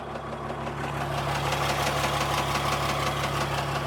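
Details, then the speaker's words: Fourth-gen dually diesel truck warming up and driving: a steady quick tick of about three a second, tied to engine speed, that began only once the engine got warmer. The engine responds and drives fine. The owner suspects valve lash or something loose. "there's a weird that weird knock and it didn't start until it got warmer or maybe my ears are playing tricks on me"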